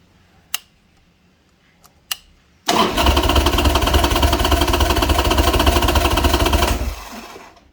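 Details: Old Harley-Davidson Sportster during a compression test, front plug wire off, gauge in the cylinder: starter spins the engine at an even beat of about three and a half per second for four seconds without firing; normal compression-test cranking.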